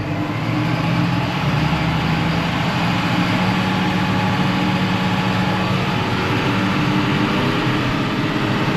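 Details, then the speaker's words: Tractor-driven mower just reassembled after repair, run for a few minutes before revving: steady even engine drone and smooth driveline hum, no knocks, rattles or grinding; nothing getting warm, running as it should. "Seems to be running nice and smooth, just the way you want it. I'll leave her running there for a couple of minutes."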